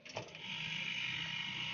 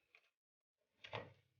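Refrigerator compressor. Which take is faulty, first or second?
second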